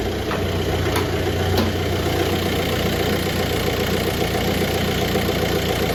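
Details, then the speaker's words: VW BEW TDI diesel with AW4 automatic and stock torque converter, running a 700 rpm idle tune: even diesel rattle at a steady idle of about 800 RPM, no stumbles or knocks; normal idle. "but it's idling right now at about 800 RPM"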